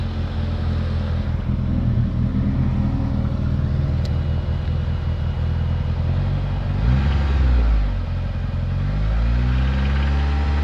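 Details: DSM four-cylinder engine idling rough with a deep, uneven low knock: rod knock.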